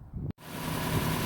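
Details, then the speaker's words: 2002 Nissan Xterra 4-cylinder, 337,000 miles with rebuilt top end, after power steering pump replacement and belt tension corrected: smooth idle at startup, no squeal or chirp even turning steering. "startup is complete there's no squeaking noise everything seems to be running normally"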